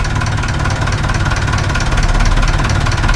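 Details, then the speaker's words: Perkins 4236 marine diesel in a sunk narrowboat, idling cold just after first startup; even low chugging, steady rhythm, no knocks or misses, no leaks. Normal diesel idle. "No leaks. Engine's still sweet. Pull it out. Just gently, yeah. Oh, that's still sweet, isn't it?"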